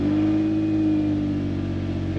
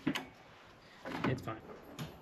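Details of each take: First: Engine at 140,000 miles with stored knock and bank 1 timing phaser codes: steady, even idle hum with a constant low tone, no knocking or stumbling heard; engine runs smoothly despite the codes. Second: Big-engined classic truck started cold with a jump starter, battery not connected: catches after brief cranking, runs loud and steady at a fast even cold idle, slightly too high, idle adjustment pending.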